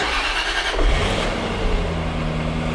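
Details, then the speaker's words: 1998 Jaguar XKR supercharged, with the bad tensioner and belt removed, supercharger belt still fitted: steady, even idle with smooth low hum, no squeal or chatter; normal idle, engine fine. "and yeah running nice and quiet so nothing wrong with the engine just a bad tensioner and a bad belt"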